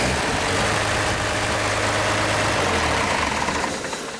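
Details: Cummins diesel swapped into a K30 squarebody truck (converted from C30 to 4x4), warm engine just run, in neutral: catches at once and settles into an even, steady idle clatter with no misses; normal healthy diesel idle.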